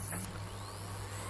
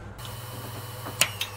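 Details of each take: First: Hard drive on SATA power connector in Orico 1106SS hotswap rack, microphone behind the drive: faint whine climbing in pitch over low mains hum as platters reach speed at power-on; normal hard drive spin-up. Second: Orico 1106SS SATA hot-swap rack: pressing the caddy power switch with the system running makes an internal drive click, spin down and spin back up, a power dropout that could corrupt data.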